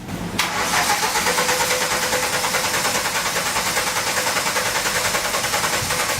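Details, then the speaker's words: 1985 VW Cabrio with CIS fuel injection, off the road 17 years, after new spark plugs. Quick crank catches, then runs rough and pulsing, barely idling; won't start without pumping the gas, owner suspects an electrical problem rather than fuel. "it seems like maybe electrical is more of a problem and not so much getting fuel into it although it will not start unless I'm pumping the gas"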